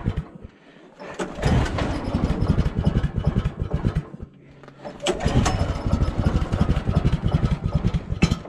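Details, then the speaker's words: Woodland Mills HM130 sawmill, 14hp Kohler pull-start, cold start at -26°C: bursts of uneven firing sputter for seconds, die, then sputter again; engine won't catch and keep running. Owner notes electric start option would help. "come on come on okay well it's not so cold anymore at least I don't think it is but we're not winning the battle here"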